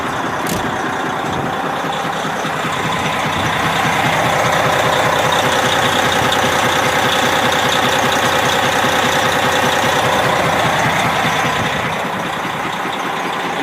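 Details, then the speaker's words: Detroit 60 series diesel truck, parked because of this noise, hood open, warm after about 45 minutes running, good oil pressure, almost no blow-by: steady idle with a regular deep knock about 2.5 per second, low in the engine. "has almost no blow-by at all, which is really amazing. But it's got a noise."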